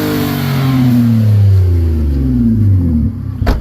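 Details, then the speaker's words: 2008 Nissan Altima coupe, 3.5 V6 with 6-speed manual, Copart car, not running warm: normal revving, smooth rev rising to a clean hold then dropping back evenly with no knocks or rattles; owner says it sounds great. "Sounds really good. It sounds pretty good. Sounds great."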